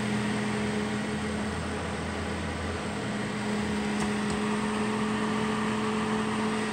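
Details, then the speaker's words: Duracraft (Honeywell) Heat Furnace Plus CZ-1200 space heater that had smoked. The fan motor's bushing retainer had popped off, leaving the armature crooked. After the fix, a smooth constant hum with a steady low tone and even airflow hiss, no rubbing; runs normally. "so that's all it was the retainer that held that bushing Center popped off so the armature wasn't sitting straight in the motor"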